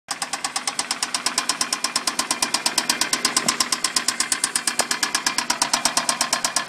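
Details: Toyota Solara engine right after startup: a crisp, very even tapping about twice a second stands out over a quiet engine. The source of the knock is unknown.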